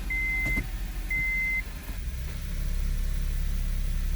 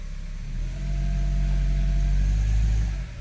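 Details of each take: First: 2002 Honda CR-V AWD automatic, engine loaded in gear against the brake: a warning chime, then a deep low grumble builds, also felt in the driver's floor. The transmission mount is torn up. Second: 2002 Honda CR-V AWD automatic after replacing transmission mount and front mount: low, even engine drone swelling slightly with light throttle in gear, no grumbling, no jolt into gear; normal under load, fixed.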